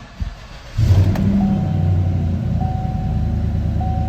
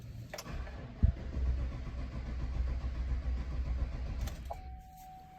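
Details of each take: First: 2017 Chevy Silverado 1500 5.3, crank no-start with low fuel pressure despite a new pump and module, traced to a broken wire; with a jumper bypassing it, brief crank catches within a second, then steady even idle, chime audible. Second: 2017 Chevy Silverado 1500 5.3, whose fuel pump and module were already replaced by the customer. Steady cranking for about four seconds never catches, then a chime. The PCM commands the fuel pump on, but there is no pressure in the rail or at the tank.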